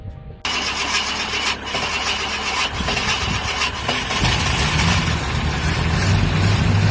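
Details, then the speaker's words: 1967 Ford Country Sedan (Galaxie) V8, not run in years, with fresh oil and filter, a borrowed battery, a hidden kill switch and voltage drop found, and petrol poured in: cranking, then it catches rough and steadies as the fuel pump picks up. "after that we got it to go fitted some pitol straight down the car you can hear in the video when the um when the fuel pump picks up and everything takes [Music] off"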